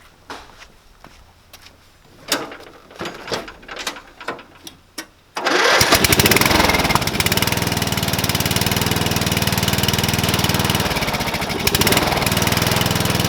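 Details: Murray 12.5 HP, 40-inch-cut riding mower that had stopped running, after a new carburetor and air filter: a few cranking clicks, then it catches and settles into a fast, even buzz with no misses or knocks; running healthy.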